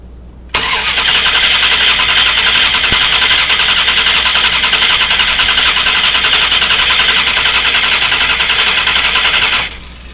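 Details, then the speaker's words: 2000 Dodge Durango 5.9L V8 during fuel pressure test: starter spins steadily about nine seconds, three to four beats a second, never fires; crank no-start, later traced to bad ignition coil. "And as always, we have our safety glasses on, and we're ready to crank our engine. So we'll hit our switch and watch our gauge."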